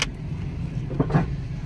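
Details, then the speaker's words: Jeep Compass, 150,000 miles, ABS and traction control lights on, rolling: low rumble with a couple of heavy thuds about a second in; loud suspension noise, likely a worn strut coming apart, full suspension check still needed. "Oh my goodness. Let me see something. Good Lord. That is loud. Okay. Let me hurry up and get in the shop. I have to inspect it. 150,000 miles. ABS light on. Traction control light on. Dang. Horrible suspension noise."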